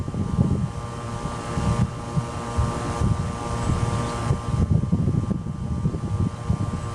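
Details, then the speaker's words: 1995 Tempstar 5000 central AC with a Copeland reciprocating compressor, first startup of 2024 in its 29th season, 87°F outside. Steady, even hum with a low throb and fan rush, and no knocks, rattles or squeals. Compressor running normally. "all right she's running"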